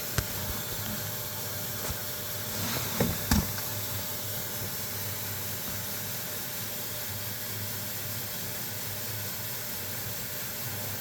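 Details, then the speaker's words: 2002 Ford F150 exhaust leak test: steady airy hiss over low engine hum with faint ticks; exhaust manifold leaks found at five cylinders. "Well, that's 1, 2, 3, 4. That's 5 cylinders that have exhaust leaks."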